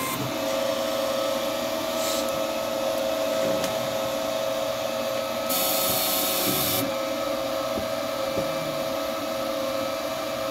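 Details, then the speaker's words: Two Trees SK1 3D printer, first start, running Z-tilt bed calibration. The stepper motors are somewhat audible as a steady mid-pitched whine with brief higher buzzes as the axes move, a smooth even sound. Normal stepper operation. "Donc c'est vrai qu'on entend un petit peu les moteurs quand même."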